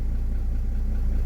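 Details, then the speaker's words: Mercedes-Benz C-Class W204, a crank-no-start now running after a suspected faulty relay was dealt with, unused for a long time: steady low idle with a faint uneven pulse, slightly lumpy but running on its own. "it's a bit lumpy obviously it's not been running god knows how long"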